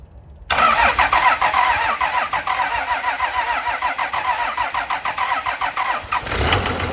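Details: First start of a 2003 Cummins 5.9 common rail diesel on a 3-wire hookup before swap into an 87 Chevy K30, electric lift pump feeding: starter catches, fires straight into even steady idle with regular clatter, no misses; healthy start.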